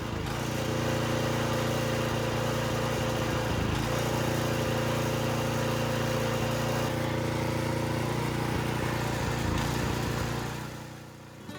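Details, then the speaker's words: Briggs & Stratton / Vanguard small engine surging, note sagging and recovering, from a blocked carburetor main jet or dirty carb passage; fixed by cleaning the carb on the machine. "This is a surging bricks engine and I'm going to show you the quickest way to fix it without even removing the carburetor."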